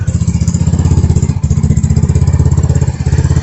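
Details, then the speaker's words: 2021 Vitacci 150cc Chinese scooter after carburetor swap (original 125 main jet reused) and new fuel filter, idling: steady even single-cylinder putter, no stumbles or surging; smooth idle and no bogging, unlike the old choppy carb. "It runs a lot smoother now. It's a different ride now. Pure acceleration, no kind of you know, bogging or holding and get it to run at a smooth idle."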